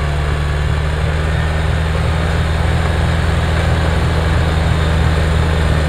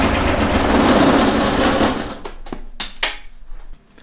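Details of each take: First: Kubota BX diesel tractor after fixing cold-weather fuel starvation (suspected gelled fuel): low, steady diesel rumble with an even beat under light load, no stumbling or surging; runs smoothly. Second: Kubota BX diesel tractor in severe cold: loud rough diesel clatter cuts out after two seconds, leaving scattered clicks as it dies; fuel starvation, no fuel reaching injector pump, owner suspects gelled or iced fuel.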